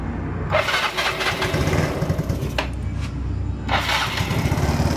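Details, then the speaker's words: Mio Sporty scooter after replacing timing chain, worn tensioner and rocker arm without overhaul, previously rattling and clattering: even, steady idle with no tapping or rattle from the head; valve train healthy. "Guys, wala na po yung ingay ng kanyang makina. Guys, nahandar na po yan. Tahimik na po yung head niya."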